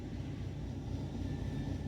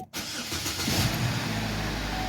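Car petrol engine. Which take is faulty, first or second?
first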